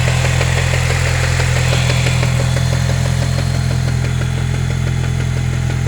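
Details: Chevrolet Cobalt SS (LSJ) with 2.8" supercharger pulley, Stage 2, belt slip reported: light regular tapping about four per second over steady idle hum, no clear belt squeal; engine knocking at idle, cause unknown.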